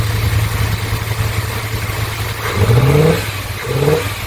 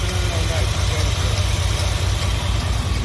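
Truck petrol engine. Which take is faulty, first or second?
first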